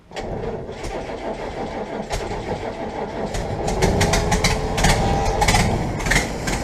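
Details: 1967 Land Rover Series 2a 109 first start after cylinder head work, carburetor and distributor untouched, fuel pump primed: starter churns briefly, engine catches into a fairly even idle with no knocks or misses.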